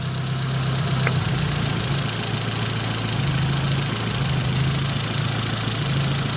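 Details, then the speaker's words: Nissan 200SX S12 dual-coil engine, running on one coil only: idle keeps dropping out and catching at uneven gaps, intermittent stutter, not a dead miss; misfire. "it still sounds worse like intermittently sty definitely intermittent stutter"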